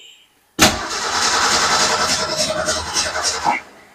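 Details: Car that died while parking, fuel delivery problem suspected, fed from gas can through fuel line and filter: about three seconds of steady starter churning, no firing. Crank, no start; cause unconfirmed.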